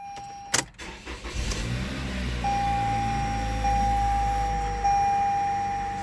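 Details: Car after MAF circuit (P0102) fault repaired and codes cleared: short crank catches at once, smooth steady idle under repeating dash chime; normal start and idle.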